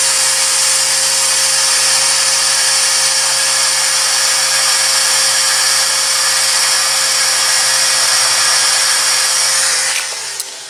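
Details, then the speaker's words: 2017 Ford Super Duty, key cycled to prime after draining the fuel separator: even high buzzing hiss for about ten seconds, then cuts off, lift pump pushing air out of the system; normal fuel priming. "so you can probably hear that it's filling up you could probably hear with my camera's picking up on this that air being squeezed out of the system"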